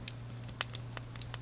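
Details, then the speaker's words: Rebel Time Aviator Chronograph watch leather band: sharp irregular pops and clicks, about eight in under two seconds, from squeezing the spring bars; thought to be spring bars interacting with leather and lugs; strap popping clicks. "what happens as you wear this band through the day you know it twists and jiggles and you get this popping sound"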